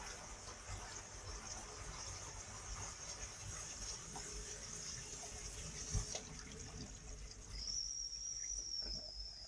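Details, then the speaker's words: Wirquin Neo Air 40 mm sink trap with air vents, sudden surge from a filled sink: water rushes through, then a thin steady high whistle for about a second as the vent admits air; normal. "entend siffler, mais ça c'est leur système air machin. C'est un peu spécial."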